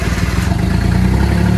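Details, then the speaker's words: Suzuki Cappuccino 660 cc three-cylinder turbo, first start after N2 kit install (Suzuki Sport N2 ECU, RHB31 turbo, new injectors): loud, quick, even idle through open exhaust, steady pulse, no misses or knocks, all three cylinders firing, no oil leaks; normal idle. "oh that exhaust sounds good he's just stupid that doesn't sound like a a three cylinder 660 cc engine seems to be running everything's good no oil is exploding anywhere"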